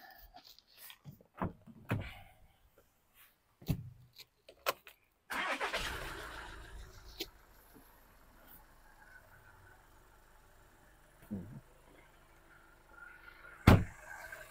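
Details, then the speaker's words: 2016 Skoda Fabia 1.6 diesel first start after cambelt (timing belt) and water pump replacement: a few seconds of clicks and handling, then a quick crank and catch into a quiet, steady idle with no rattles; starts and runs fine. "Right, the engine started, running. All good."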